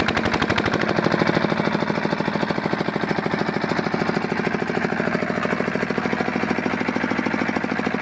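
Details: Fitter diesel engine pump after bleeding air from the pump: strong, evenly spaced thumps at a steady beat with no misses; single-cylinder diesel idling cleanly.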